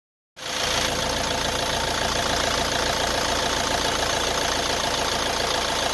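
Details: Nissan Qashqai 1.6 dCi diesel that burns oil, idling: steady hollow knock about three or four a second tied to engine rhythm; piston slap.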